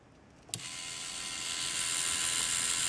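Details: Cheyenne Thunder tattoo machine at maximum stroke on repairer's test cable at about 6.5 V: sharp click at switch-on, then fine even high-pitched buzz holding steady; starts and runs smoothly at low voltage, unlike with original cables.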